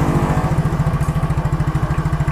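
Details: Yamaha Mio Soul GT fuel-injected scooter idling after its burnt starter motor (which only clicked "tek tek") was replaced: a steady, even single-cylinder putter of about eight pulses a second with no starter clicking.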